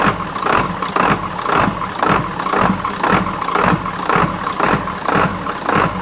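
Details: 1997 Ford F350 with 7.3 turbo diesel, former service truck, first start after starter and battery replacement and wiring work: steady, even diesel idle pulsing about twice a second, no knocks or misses; runs normally. A fuse keeps blowing, cause not yet found.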